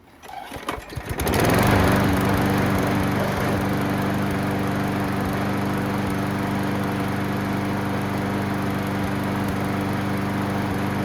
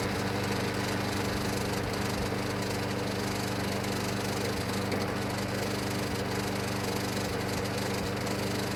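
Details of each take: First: Craftsman mower after fixing missing blade adapter retainer piece, with new gas, oil and air filter: settles into a steady even drone with no rattle or blade slap; noise gone. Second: Junk Craftsman mower, new gas, oil and air filter: steady drone with uneven metallic clatter about ninety rattles a minute; blade adapter missing retainer hardware through the bolt, blade loose.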